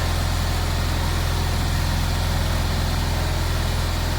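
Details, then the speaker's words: Fiat 126p twin, cold start after sitting two months with the choke on: even, steady putter at a slightly fast cold idle, no knocks or missed beats; normal cold idle on choke. "Okay, so there's a choke. Choke is on. All right. So this is with the choke."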